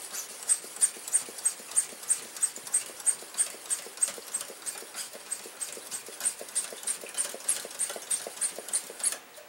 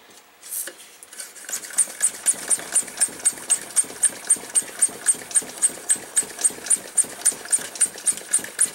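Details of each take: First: Coleman stove tank pump after check valve repair and a few drops of oil, about 30 pumps: steady even strokes about three per second with no air bleeding back; repaired check valve holding, normal pump operation. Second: Coleman stove fuel tank pump, pressurized: quick airy puffs, about four a second, spitting back out of the pump hole when the thumb is off; faulty pump check valve leaking air back.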